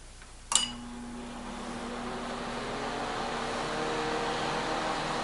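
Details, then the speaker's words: Older microwave/convection oven, cleaned fan blades, started on combination microwave mode at 250 degrees: sharp click, then steady low hum with fan slowly rising, starting and running evenly. Normal running. "Alright, so now I'm going to do combination. That'd be microwave and okay, temperature 250 to 450, 250."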